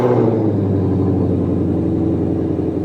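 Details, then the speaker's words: 2020-2022 Shelby GT500 V8, first start after a PCM replacement and code clearing, chasing an intermittent misfire and power loss: fires straight up and settles into a smooth, even burble, a healthy start and idle. A check-engine light (P0315, crank variation not learned) follows. "It's alive! How's it looking? Looks good."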